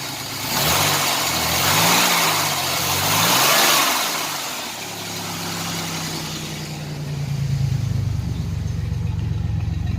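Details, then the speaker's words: 1987 Chevrolet Celebrity Eurosport 2.8 V6 at 237k miles, after a new MagnaFlow catalytic converter, with a brand-new knock sensor: revs rise unevenly and choppily as the throttle opens. It still cuts up under gas; the owner is unsure whether temperature is involved. "But it sounds so much better. So much better. Sounds a lot happier. Still has that cut up though when you give it gas."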